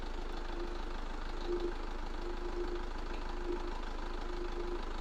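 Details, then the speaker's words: SsangYong Kyron 2.0 diesel, warm idle after start: faint uneven metallic rattle over the steady knock from a slack timing chain; hydraulic tensioner plunger not extending, noise fades when warm and is louder cold; tensioner to be replaced. "заводим автомобиль вот вот он звук Сейчас вы пропадет совсем"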